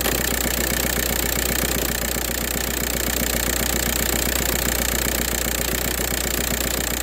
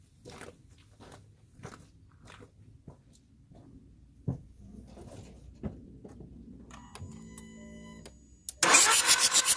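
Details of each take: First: 2004 VW Jetta TDI diesel with a morning no-start problem unless WD-40 is used: even clatter at about four beats a second holds steady, a normal idle once the engine has caught. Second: 2004 VW Jetta TDI diesel, morning no-start that only starts with WD-40: faint clicks, then the starter churns steadily at about four turns a second and the diesel never catches; extended cranking, no start.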